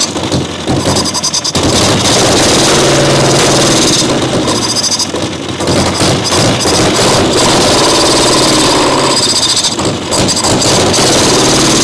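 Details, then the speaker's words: Caterpillar Diesel 70 small petrol pony motor, round 2 start, choked then choke taken off, dripping fuel: fires, surges and fades as if starving for gas despite good flow; fuel starvation from blocked tank vent. "It acts like it's starving for gas. It does. We have a good flow."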